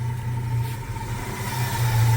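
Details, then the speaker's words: 1966 Chevy C10 on a 72 frame, running a freshened V8 from a 92 Chevy truck, idling after sitting a few months. A light, uneven rattle rides on the steady idle; owner guesses the hood is rubbing something. Unconfirmed. "The motor, I'm letting it run. It's been a few months, and if you hear rattling here, I can hear it now."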